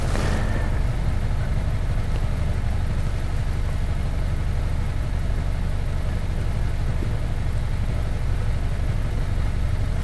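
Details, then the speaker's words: 2018 Honda Accord 1.5 L turbo petrol idling rough with a low, uneven pulsing beat. Code P0304, cylinder 4 misfire, loses power under load. Fuel trims negative (total -17.9%), injector suspected, carbon tracing on spark plugs. "we know that the car is running a little rough right now it's running rough but apparently when this car gets under a load and the turbo spools up the car will just default and it doesn't want to pull at all"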